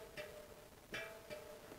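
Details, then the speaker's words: 40-spoke 3-cross tandem wheel with new rim: two plucked crossing spokes ring at clearly different pitches, one high one low; uneven tension, fix by loosening one and tightening the other slightly. "So one was kind of high and one was kind of low, so I'm just going to loosen one a smidge and tighten the other a smidge."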